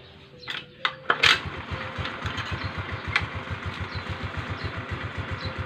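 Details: Rusi Gala scooter after its V-belt, hardened by CVT heat and causing a rubbing noise, was replaced. The starter cranks, the engine catches, then an even putter about seven beats a second follows with no rubbing or scraping. The CVT noise is gone.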